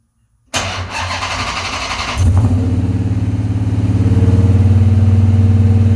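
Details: 1970 Coronet with swapped 6.1 HEMI V8: cranks and catches, then a lumpy, loping idle with uneven beats; some cylinders dead because their injectors aren't firing.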